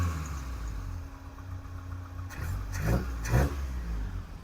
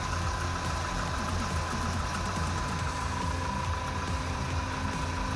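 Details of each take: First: 1984 Toyota Hilux 4x4 carbureted engine after new spark plugs and fuel filter: lumpy idle, small throttle stabs pick up sluggishly with slight hesitation but no backfire (previously backfired); owner suspects poorly tuned carby, smells fuely, possibly running rich. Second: 1984 Toyota Hilux 4x4 just after new spark plugs and fuel filter, idling cold: low steady idle holding its beat with a faint even hum, no stumbling; previously it idled badly and shut down.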